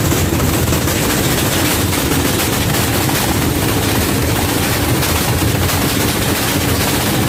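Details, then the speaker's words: LG FHB1207Z2M fully automatic front-load washing machine run during installation with shipping/transit bolts not removed: loud heavy rumble and shaking hammering throughout the spin — excessive vibration; fix is removing the bolts and fitting hole caps. "ನೋಡಿದ್ರಲ್ಲ, ಅದಕ್ಕೋಸ್ಕರ ಈ shifting ಬೋಲ್ಟ್ನ remove ಮಾಡ್ತೇವೆ. Remove ಮಾಡಲಿದ್ರೆ ಯಾವ ರೀತಿ vibrate ಆಗುತ್ತೆ ಅಂತ ನೋಡಿದ್ರಲ್ಲ."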